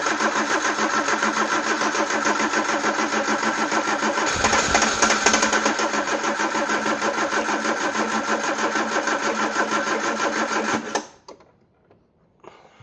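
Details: Peugeot 309 petrol with camshaft-driven mechanical fuel pump, petrol poured down the carb, battery weak: steady starter cranking about three compressions a second for ten seconds, never catching; cranks but no start.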